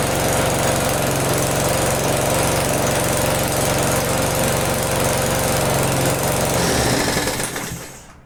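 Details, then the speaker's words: Restored small single-cylinder engine runs at steady even chatter, then winds down cleanly at shutoff; exhaust likely leaking slightly at muffler but no shaking; runs fine. "it's fine the exhaust is leaking I'm sure but I don't think it's too bad and it doesn't shake so that's just perfect"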